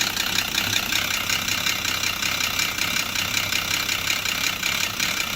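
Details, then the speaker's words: Volvo XC90 idling with scanner attached: hard, rapid diesel-like clatter at about 160 per minute; scanner shows exhaust cam position too high, suggesting the timing belt jumped teeth at the crank, and the belt was later found badly damaged; knocking from jumped timing belt. "exhaust too high yeah so that probably means time and belt has jumped at the crank"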